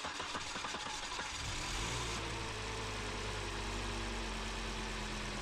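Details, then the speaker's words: 2001 Volvo V70XC gasoline B5244T, after fuel pump circuit repair for a crank-no-start with no fuel pressure: cranks briefly after priming, then catches cleanly and settles into a smooth, even idle with a steady low hum. "There you go, sweet. It's running, it started, and that was a $25 repair."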